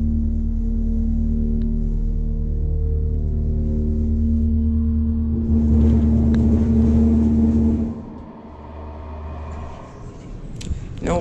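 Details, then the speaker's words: KONE parking elevator with CJ Anderson fixtures, International Plaza mall, Tampa, FL, upper level: dry-powered pump motor gives a loud, steady low fixed-tone drone for about eight seconds then drops away; loud pump motor drone, low on oil. "let's go to upper level now let's listen to this epic motor again"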